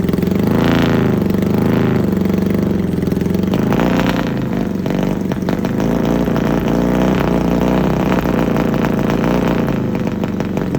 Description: XS650 Showing Misfire issue running Gonzo